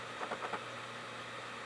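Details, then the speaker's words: LG newer optical drive reading a DVD: a few quick seek clicks over a steady low whir as it hunts slowly and repeatedly; slow to read, struggling with the disc but it works. "This must be a millennial drive. Anyway, it works. It's just slow and it's crap and it's, well, LG."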